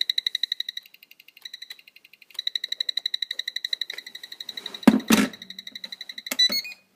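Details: DX4e radio transmitter switched off yet giving steady high chirps about four a second, stopping and restarting, then handling clatter; cause unknown.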